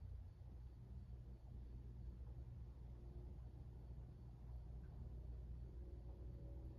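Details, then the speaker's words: 52-inch Hunter Original ceiling fan on low speed: starts quickly, very quiet steady low motor hum, no ticking or rubbing; runs normally, though a bent blade wobbles at higher speed. "starting off with low this fan does start up pretty quickly has a little bit of a hum to it it's very quiet though you can barely hear it"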